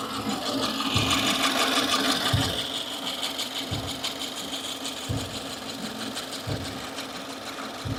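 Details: 2015 Subaru Forester, warm idle out of warmup mode: light, fairly regular ticking chatter about three per second, not following engine rotation; new since days before, owner suspected lifter or rocker roller issue; source unconfirmed.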